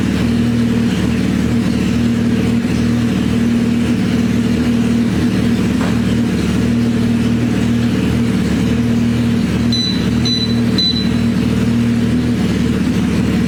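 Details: Suzuki Hayabusa GSX1300R after a wreck, two new main injectors fitted, no exhaust; loud crisp open-pipe bark at steady idle, even firing on all cylinders; normal idle and revs.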